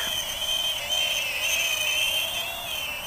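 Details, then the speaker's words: Full Speed Bat-100 mini FPV quad, updated blue motors with bearings, in flight in wind: a thin, piercing shriek over the prop whine, wavering with throttle; tiny brushless motors squealing, louder than the original version; cause unconfirmed. "the vibration noise has God definitely louder though with those squealing Moses it's almost like a shriek"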